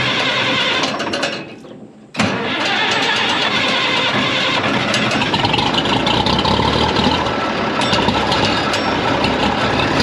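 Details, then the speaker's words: 1965 Minneapolis Moline G707 six-cylinder diesel parked 13 years, after bleeding air from injector lines, about half throttle: brief cranking, then catches and settles to steady even idle clatter; clean start and idle. "But it took a minute to get the air out of the system here."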